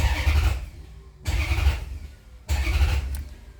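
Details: Maserati GranSport with hard starting after alternator replacement (fuel rails, injectors, intake manifold removed); starter cranks under a second each press despite holding START, three short bursts with no catch; runs fine once started, no codes.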